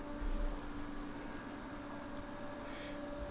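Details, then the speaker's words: ATC spindle on upgraded Omio X6 6040 CNC router with UCCNC controller, commanded M3 S24000 via RS-232 VFD: 400 Hz, 24,000 rpm. Quiet, steady high-pitched whine, no roughness: spindle running smoothly. "that's 400 Hertz so precisely 24,000"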